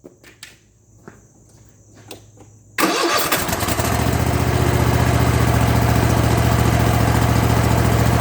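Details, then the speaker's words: Kohler 7000 series engine on a zero-turn mower, after carburetor rebuild with kit 25 757 27-S for surging at idle, mid and full speed: short crank, fires at once, settles into an even steady idle with no hunting or surging; normal start and idle. "no surgeon it's running clean crisp and smooth no hunting no grunting no surging no coughing it's running like a brand new engine if you can believe that"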